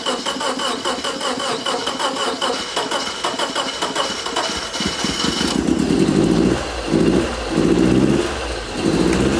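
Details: 1985 Subaru AWD turbo coupe, 44,000 miles, parked about 30 years, first start: a lumpy, uneven idle with irregular pulses and short stumbling revs. A misfire is suspected on one cylinder, not confirmed.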